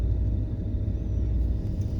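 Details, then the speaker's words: Chevrolet C10 squarebody farm truck, small-block Chevy with Holley Sniper throttle-body fuel injection, after high-idle problem solved; 850 rpm in park. Low, smooth steady rumble without surging or hunting: normal idle. "I am so happy 850 RPMs in park love it love it"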